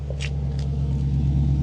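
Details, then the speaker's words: Cold idle of an Audi S4 Avant with a 350 hp 4.2 L V8, six-speed manual and all-wheel drive, on 163k miles. Deep, even low burble with a steady beat and no knocks or ticks, a healthy engine idling smoothly. "the car thinks it's the 8th of August 2003 it's got a really nice little burble that"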